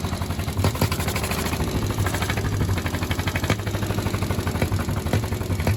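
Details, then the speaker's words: 1951 Caterpillar D8 2U diesel, sat in a barn since about 1990 and previously stuck, chuffs heavily and slowly as the pony motor turns it over on its first start attempt, but it never catches: cranks, no start. "all right so here's the first time we're actually trying to start the big motor and we didn't have much luck at it"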